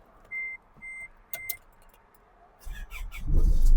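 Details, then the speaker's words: 2006 Isuzu D-Max Hi-lander, 2500 cc stock engine with no remap, manual gearbox. Chime beeps, a short crank, then the diesel catches promptly and settles into an even idle. No warning lights come on and temperature is normal; a healthy start. "นี่เครื่องยนต์ปกตินะครับไม่มีเครื่องโชว์นี่เข้ามาดูข้างในได้เลยนี่ครับไม่มีเครื่องโชว์นะครับ"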